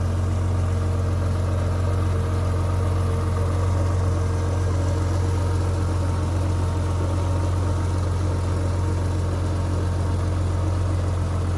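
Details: Rover 800, about 85,000 miles with full service history, first start after standing unused for years: smooth, steady low idle with an even pulse of about four beats a second, no ticks or stumbles; normal idle.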